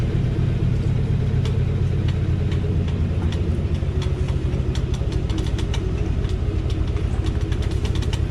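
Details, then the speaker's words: 2018 Chevrolet Silverado with 3-inch leveling kit, driving slowly, GoPro mounted on front right fender; low engine drone with sharp irregular ticks about one or two per second from front right suspension; creak and tick, cause unconfirmed, owner fears leveling kit. "etty sketchy noises when driving it is the front ride I put it in for low pulling in here and got out of truck and walk beside it so I could hear exactly where he's coming from it's coming from the front right"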